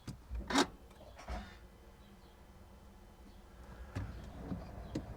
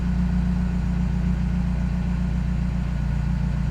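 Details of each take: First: Peugeot 308 GTI first cold start after replacing the Valvetronic variable valve lift motor: clicks, then engine catches with a stumble and loud rough roar before settling to a smooth idle. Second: Peugeot 308 GTI first start after replacing the Valvetronic variable valve lift motor; after a brief hiccup and loud start, low even idle hum with no misses, knocks or stumbles; normal smooth idle.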